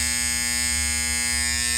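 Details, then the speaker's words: HVAC fan bypass contactor pulled in on a unit whose inverter had failed: a steady, harsh, fixed-pitch electrical buzz with no chatter. The contactor is vibrating and bad and needs replacing. "I'm going to put the relay in, and you'll hear the the contact chat. It doesn't shatter, but it just vibrates a little bit. I'm going to have to get a new one."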